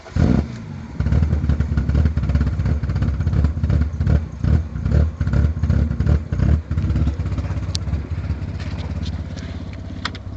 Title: e36 bad misfire